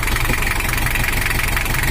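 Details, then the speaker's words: 1984 Toyota Hiace LH11 2L diesel after overheating and cylinder head service, just started cold: heavy, uneven clatter at idle, too rough, as tappets are not yet lubricated; left to reach operating temperature before adjusting. "Suaranya memiliki karakter khas mesin 2L, tetapi menurut saya terlalu kasar."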